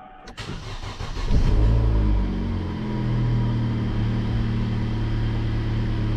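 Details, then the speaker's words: Vauxhall Insignia engine, cold, start after repairing a temperature sensor fault; brief cranking catches cleanly, revs up, then settles to a steady, even idle with no bogging, healthier than before; gauge reads 50 degrees. "that sounds a lot better as well a lot more healthier no bogging on the button"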